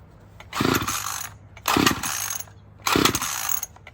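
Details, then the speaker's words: Murray M2500 string trimmer, sat outside for years, old carburetor before replacement with carb kit: three pull-start bursts, each a brief rough buzz dying immediately; previously ran but bogged badly; hard starting, fails to run. "Yeah, she ain't running right, so let's go back in the shop and fix this thing up."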